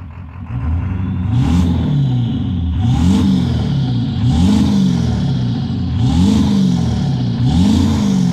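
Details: 7.3 PowerStroke diesel with blue smoke, floored five times about every second and a half, sounding rough and uneven as revs climb: misfire under acceleration.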